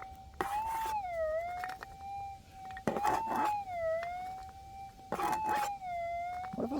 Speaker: Alright, that is some really hot ground. We have a hot rock here and there is a few other signals there.